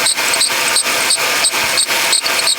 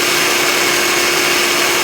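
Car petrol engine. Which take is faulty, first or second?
first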